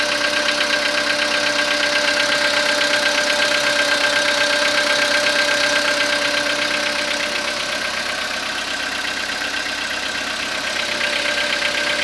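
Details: Skoda Rapid 2014, CFNA 1.6 petrol engine, cold start after overnight parking at −0.5 °C, 27,630 km: cold idle with a very regular tick-knock about 160 a minute, easing slightly as it settles; cold-start engine knock, cause unknown.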